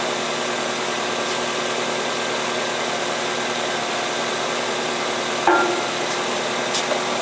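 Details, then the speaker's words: 2003 Toyota Corolla 1.8L with code P0505: engine holds a steady fast idle of about 1200 to 1400 RPM, well above normal, with no hunting; faulty idle air control valve, to be replaced. "but you'll hear a huge difference on how the engine runs cuz right now it's adding at about 12 to, 1400 RPM which is way above what it should be"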